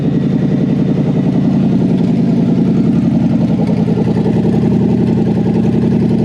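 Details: Toyota 1UZ-FE V8 for a Lamborghini kit car, rewired with Link Monsoon ECU and coil-on-plug: steady, even running at a fast idle with a smooth, regular beat and no knocks or misses; engine sounds healthy.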